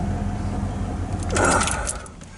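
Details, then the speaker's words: Truck that suddenly wouldn't start and had to be pushed home, now running fine after the owner reset a switch; earlier the starter dragged slowly. Steady, even low rumble, then handling noise. Mechanics couldn't find the cause and it may recur. "okay that runs fine you hear that it's running fine"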